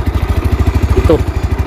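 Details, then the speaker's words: Mio Sporty scooter that misfires and loses power at full throttle, after cleaning, fresh gasoline, new pulser and idle tuning: even single-cylinder thumping about ten beats a second; clean, healthy idle. Not yet road-tested. "So umandar naman siya mga paps. Umandar siya. Umandar. Normal lang umandar. Kung papakinggan niyo mga napakaganda. Natuno ko na ang menor."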